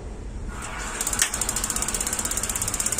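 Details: Gas water heater whose flame lights only briefly, tested with a pump on the water input: fast, even ticking a little under three per second starts abruptly over running water, igniter sparking before gas is connected.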